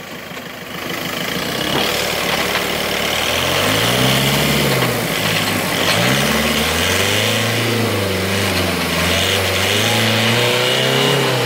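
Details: VW Golf: engine revs up and down while a whirring, growling drone rises and falls with speed; cause turned out to be worn gearbox bearings.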